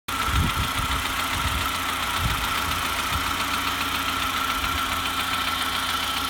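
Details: SAAB 9000 2.3T petrol engine, warm at idle: dull, uneven low knock under a steady whine and hiss; runs fine cold, knocks only when warm and harder with revs; owner suspects valvetrain noise or rod knock.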